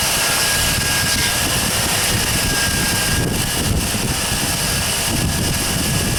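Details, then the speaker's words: 1999 GMC 1500 4x4 SLE running after power steering and alternator replacement, fan and shroud refitted: steady even engine roar with strong fan and belt rush, no knocks, ticks or squeals; alternator voltage now correct. Normal running. "Well, let's see what it does. Move you guys, you're too close to the tire there. Boy, she sounds good now."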